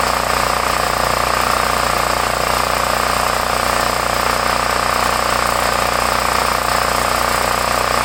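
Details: 8-year-old Homelite 5000 W generator, 389cc 13 hp (owner thinks Tecumseh), previously hard to start with a leaking carburetor, started with choke. It gives a steady, even buzz with a constant high tone and no surging; running healthy, and no fuel leak found afterward.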